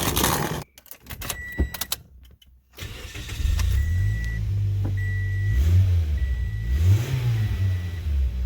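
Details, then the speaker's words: 2008 Toyota Yaris 1.5 L, start after replacing leaking front exhaust gasket: some fumbling, then engine catches into smooth, even idle with chimes, no longer tinny; exhaust leak fixed. "Alrighty, here we go. Going for a spin here. No longer sounds like a tin can."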